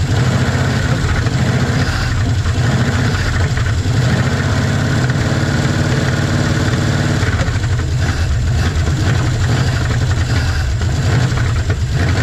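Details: 1956 Chevy 150 with a 35-year-old V8, just revived, idle; faint light ticking over a deep steady idle, owner says valves need a little adjusting: valve lash tick.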